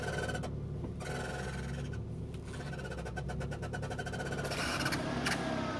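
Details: High chirping squeal that comes and goes with steering movement, plus light clicks, likened to a dolphin; cause was a dry bearing where the intermediate steering shaft enters the firewall, fixed with a little lube. First suspected a dry ball joint.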